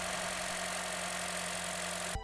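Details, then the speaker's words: Used Honda Jazz automatic at purchase inspection: smooth, even idle with a steady low hum, sounding quite normal apart from perhaps a faint valve clearance tick; normal idle. "listening to the engine this sounds quite normal maybe a tiny bit of valve clearance tick"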